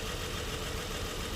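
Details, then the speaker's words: Nissan Murano V6 with severe misfire and jerking at idle, cylinders 3 and 4 not working: rough uneven idle with irregular low thumps and shaky rhythm; clear misfire. "ये तकरीबन 6 सिलेंडर गाड़ी है, V6 engine है और इंजन में बहुत ही ज़बरदस्त मिक्स फायर हो रही है, ज़बरदस्त जर्किंग है।"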